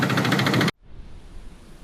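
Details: 2006 Subaru WRX automatic with high mileage: while driving normally at 65–70 the car shook badly and the check engine light came on. At idle, loud harsh rapid knocking that cuts off abruptly; owner says rod knock.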